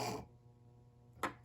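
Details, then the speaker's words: Lakewood HV-4 fan after shipping damage cracked rear bearing housing, first power-up after reassembly: switch click then steady low electrical hum, blades not turning; motor locked up, suspected rotor moving too far back and hitting stator. "that's no good it is locked up and i think that's because the rotor is hitting the stator somewhere yeah that sounds pretty bad"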